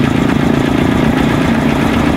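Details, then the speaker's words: Honda TMX Supremo single-cylinder after cam chain tensioner replacement: even, fast idle thrum with no ticking or clatter from the timing chain area; the earlier cold tick is gone and the engine sounds healthy. "So testing na natin mga boss. Tanggal lang ingay."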